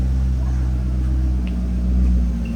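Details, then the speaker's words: C6 Corvette Grand Sport, newly acquired rebuild project, warming up toward 175°: a deep, steady V8 idle burble with an even firing beat and no ticks or knocks. Oil pressure good; a normal healthy idle. "it sounds healthy. Let's go. Dude, she's purring like a kitten, bro."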